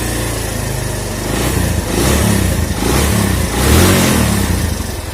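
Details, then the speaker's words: Suzuki Thunder 125 single-cylinder, standard bore, after valve/ring rebuild and valve clearance adjustment after about 2 weeks' use: revs rise and fall with throttle blips, even firing, no tapping; smooth, previously loose valves sounded rough. "Kalau di video mungkin kasar, tapi aslinya itu tidak terlalu kasar, biasa aja, halus malah. Kalau ditarik juga enak. Seperti ini."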